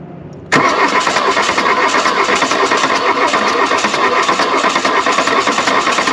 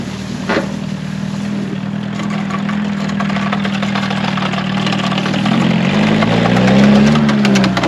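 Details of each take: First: 1979 VW Mk1 Rabbit diesel, revived wreck, cranked after belts and pulleys refitted and a cool-down: starter cranks fast and steady for several seconds without catching; no coolant yet, wanted warm to start; nearly fired, cause unconfirmed. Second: 1979 VW Mk1 Rabbit diesel, revived after being buried in the woods, driven with the floor and frame collapsing: steady diesel clatter pulling evenly, revs rising and falling smoothly, no misses or knocks; runs well with good power.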